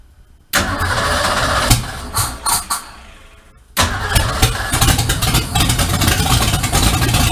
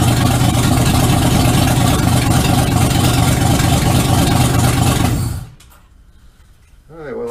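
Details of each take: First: 1951 Ford F1 with a freshly built EFI engine and MSD 6AL ignition, first start after installation in the truck: the starter turns briefly, a few stumbles follow, then it catches and settles into a steady, even idle, a healthy start. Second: 1951 Ford F1 rebuild, owner-built V8 on first start in the truck, no exhaust or oxygen sensor yet, running rich until the fuel injection learns its fuel tables, cranks a little rough when rich: loud, slightly lumpy idle, steady pulse about two per second; rich-running idle.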